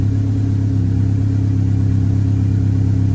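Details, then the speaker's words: 1998 Honda Civic, suspected bad MAP sensor, DTCs cleared, vacuum lines look good: deep, low idle with an uneven pulse about three to four per second; rough, owner now suspects ignition timing may be off. "Hear how rough that was? I don't like it."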